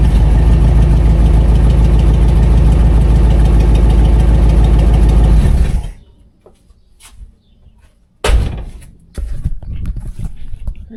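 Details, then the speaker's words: 1959 Plymouth Fury V8 after new fuel pump and upgraded oil filter seals fixed oil leak: steady, even idle with smooth low rumble and no knocks, ticks or misses; running healthy. "It runs It runs good. It sounds good. The motor doesn't make any weird noises it's not supposed to make."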